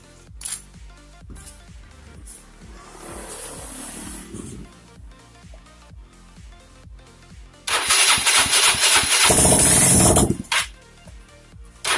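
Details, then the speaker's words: Yamaha Mio scooter that had stalled with lost compression, first start after repair: starter whirrs with quick even pulses, engine catches, roars briefly and settles; normal start. "Oke, kali ini kita akan start engine yang pertama. Seperti apa bunyinya?"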